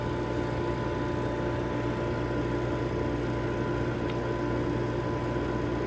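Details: Vacuum Atmospheres Nexus glove box: with the pressure band set to ±1.5, positive pressure is added until it reaches the 1.5 limit and the vacuum pump turns on. It gives a constant low hum with a steady tone and even hiss, no knocking or surging: normal operation.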